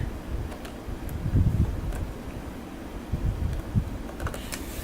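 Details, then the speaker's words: Toshiba Satellite T2130CS thrift-store laptop, built-in floppy drive reading a floppy disk: low uneven whirring with faint clicks; owner suspects a dying floppy drive, not confirmed. "That's not good. You hear that whirring sound? See if I can hold the camera closer to the drive here. That to me indicates a dying floppy drive, so my fears might be realized about that."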